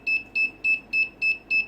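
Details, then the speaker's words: Wireless sensor network sink node emitting short high beeps about three per second, evenly spaced, repeating until it finds another node; other nodes not yet connected, node-search beep pattern. "it will keep doing this over and over until it finally catches a note"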